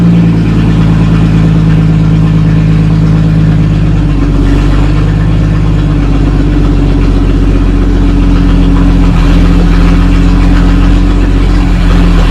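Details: 1937 Talbot saloon with a 3.2-litre six-cylinder engine, laid up since the mid-1970s, with the fuel system temporarily by-passed and a hand used as a choke. It has a loud, deep, steady idle with an even, low beat and a few slight stumbles.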